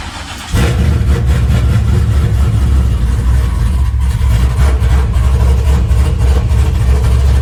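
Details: LS-based V8 shop truck just after a Howards Rattler cam swap (stock springs), first start: cranks briefly, catches and settles into a deep, steady, slightly lumpy idle with no knocks or ticks; runs fine, still needs a tune for the cam.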